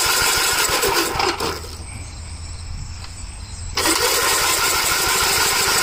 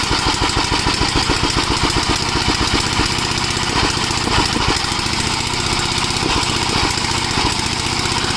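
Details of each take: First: 1961 or 1973 Gravely tractor engine without a governor, cool weather: turns over with rapid steady chugging but never catches; very little gas in the tank, crank no start from lack of fuel. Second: Gravely tractor, unrun about a year, cool day: quick, even single-cylinder popping at steady speed, no misses or knocks; running normally.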